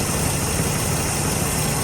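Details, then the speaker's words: 1981 Chevrolet K10 V8 idling after intake and exhaust gasket replacement to fix an exhaust leak, freshly refilled coolant, warming up: smooth steady idle, even low burble, no ticking or puffing at manifold, much quieter than before; normal idle. "can already tell she's much quieter, whole lot quieter than if you go back to the uh original video."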